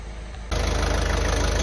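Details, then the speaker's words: Ford Transit Connect 1.5 TDCi diesel after a head rebuild following timing belt failure, restarted before a road test; silence, then catches into a steady, even idle with a regular low pulse, no knocks or leaks; normal idle. "running there's no leaky leaky real good this is still looking good it sounds good as well"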